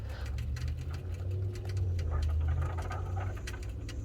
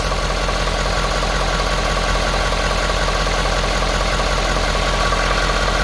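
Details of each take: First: 2017-2021 Ford F250 6.7L diesel after a fuel filter and water separator replacement, with the fuel system cycled before starting: low steady pump hum with irregular bubbling as air still bleeds out; cycle again until the bubbling stops. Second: 2018 Ford F-250 6.7L Power Stroke diesel idling after fuel filter and water separator replacement and priming: loud, even diesel clatter with regular firing, no misses or stumbles; no leaks, healthy normal idle.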